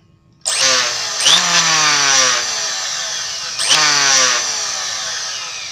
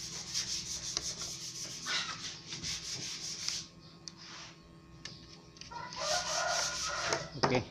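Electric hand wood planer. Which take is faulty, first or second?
first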